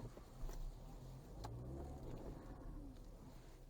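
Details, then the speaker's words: Ford Fusion 4x4 EcoBoost AWD after rear drive system repair, slow full-lock turn: quiet low rumble with no clunks, shudder or grinding, where it previously shuddered when steering fully and accelerating; normal full-lock turn. "zeradinho 100% de eficiência no nosso reparo vamos aqui agora aqui em cima dá para fazer melhor 100% faz barulho nenhum"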